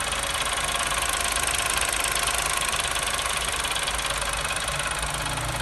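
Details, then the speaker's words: New Chevrolet Onix, cold first start: busy tinny metallic chatter about three per second over the idle, noticed only when cold; cause unknown, owner plans to take it to the dealer. "então aqui vai ser mais curto eu notei somente na parte da frio vou ficar mais ligado vê se aparece quando o carro já tá quente também"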